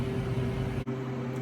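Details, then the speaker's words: New Harvest Right freeze dryer on its first cycle with sliced bread, vacuum freezing stage around -28 to -30°F: steady low hum with a couple of even tones, no knocks or rattles; pump running smoothly, normal. "We are now in the vacuum freezing stage. Looks like we're around -28 to -30 Fahrenheit. I see it jumping around a bit."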